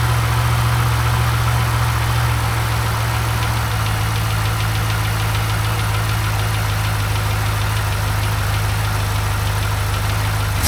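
Deep steady V8 idle with a light, fast ticking riding on top; something in the engine is ticking, cause not yet pinned down.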